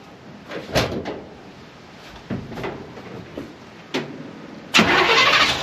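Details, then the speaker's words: Small-block Chevy V8 shop truck after setting basic ignition timing (number one at top dead center, distributor reinstalled), which is why it wouldn't start: a few slow cranks, then it catches cleanly into a steady run; normal start. "And that's what I was hoping to hear. It's good."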